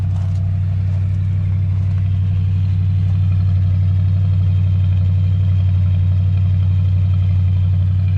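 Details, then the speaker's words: Oldsmobile with computer-controlled carburetor on a cold start in winter: deep, steady low idle with a regular beat and no knocking or stumbling as the computer controls take effect through warm-up; healthy. "as you can hear uh the computer controls actually kicking in because it is a computer controlled uh carburetor and you can you can hear when the computer takes effect and when it goes through the warm-up"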